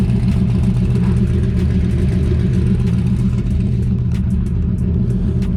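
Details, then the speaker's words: Normal idle: LS-swapped IROC-Z tuned by Hemi Dave, starts right up every time and runs mint, with Speed Engineering 3-inch headers into a 4-inch Mufflex exhaust; deep, steady V8 burble with an even lope and no knocks or misses. "So that's basically it. Car runs mint. Start it up for you now. Hemi Dave in New York tuned it. Starts right up all the time."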